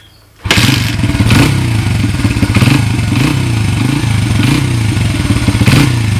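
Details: 1994 Honda XR100R single, start after carburetor rebuild, fuel on: one kick and it catches at once, settling into a steady, even popping idle with no misses or knocks; normal start and idle.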